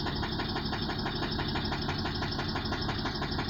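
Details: Chrysler petrol engine idling: steady sharp knock about three times a second over a rough running note; low oil pressure warning light comes on and engine then runs poorly.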